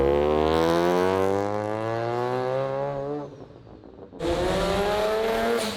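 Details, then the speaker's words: Rotary-engined Corvette with new resonator and muffler exhaust, about 60% throttle with wheelspin: high rotary scream climbs, drops out for nearly a second, then snaps back. Ignition cut from traction control as tires broke loose. "That thing broke traction so quickly that any sort of weird variation you'd be hearing was actually ignition cutting trying to traction control the damn car."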